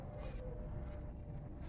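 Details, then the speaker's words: 2011 Chevrolet Montana 1.4, 100,000 km: deep rough rumble when revving with hard knocking rattle underneath, connecting rods knocking on acceleration; crankshaft has excessive axial play beyond limit, engine needs opening. "Motor aqui rajando as bielas aqui. Você acelera e já dá uma rajada, né?"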